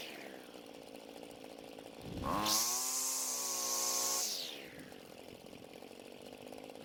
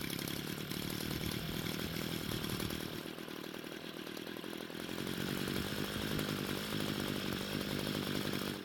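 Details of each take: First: Homelite string trimmer after fixing its no-start and adjusting the carb L and H screws. It revs smoothly to a steady high whine with no bogging on quick throttle squeezes, then drops back cleanly; now running right. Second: Free Homelite string trimmer that would not start, now running: buzzy two-stroke speed sags and surges unevenly. The carburetor mixture screws needed adjusting, and it ran well after adjustment.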